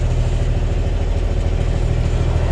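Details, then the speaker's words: 1999 Kenworth W900L semi with mechanical N14 Cummins diesel, cold start idle; deep steady even throb with no knocks or misses; sounds good, running smooth and stable. "oh let's roll boys let's roll oh she's good she sounds good look at that"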